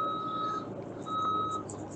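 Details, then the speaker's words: Bobcat E32 mini excavator tracking: clean, evenly spaced high-pitched beeps about once a second over quiet engine; travel alarm that sounds moving forward or reverse, not only backing; normal. "it's going to beep in both directions for you so it doesn't it's not really a backup paper it's just a moving beeper so if you hear that beeper that just means you're moving either forward or reverse"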